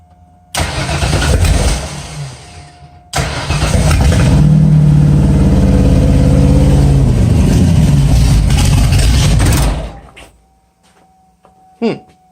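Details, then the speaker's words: FD drift car after new battery, distributor plugged back in: steady starter cranking for several seconds at an even beat, engine never fires; crank no start, owner suspects ignition timing set too far out, unconfirmed. "probably I would imagine I didn't I just did timing too far out we'll try it again see what happens"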